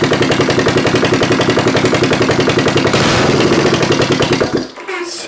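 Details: 1972 Honda CB350 cafe racer twin, rebuilt after a holed piston, carbs roughly synced, first running: crisp, even exhaust pulses at fast idle through open, unclamped pipes, firing steadily before shutting off; sounds healthy.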